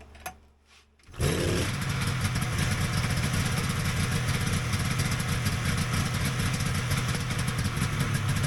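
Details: Vintage Polaris XLT triple two-stroke snowmobile after its pump was reassembled with the plate correctly oriented: it catches after a second of cranking and settles into a steady, even idle with no misses; runs fine.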